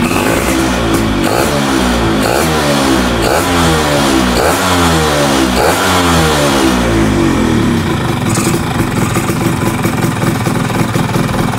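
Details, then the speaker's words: Two-stroke motorcycle engine revving up and down with a loose metallic rattle over it; the sound comes from a worn, loose starter one-way clutch housing, which was then tightened to stop the noise. "bunyi ini tuh bunyi yang dari rumah oneway-nya ya yang oblak itu guys ternyata bunyinya berasa juga nih"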